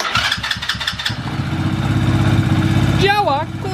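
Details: Quad with newly wired electrical system and starter relay, push-button start without ignition switch; a few quick cranking pulses, then catches and settles to a steady even idle without knocks; normal start and idle.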